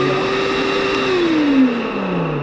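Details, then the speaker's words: Würth 18V vacuum cleaner with a faulty switch for its two suction modes, one mode dead and this one working randomly: motor whine holds steady, then its pitch sags and drops partway through. "ça fonctionne de de manière aléatoire."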